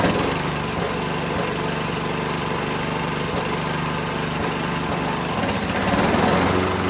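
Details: Toro Recycler 6.5 hp push mower found discarded, first start after the dry fuel tank was blown out and refuelled: small single-cylinder engine catches and settles into a steady even beat, around four firings a second, no misses.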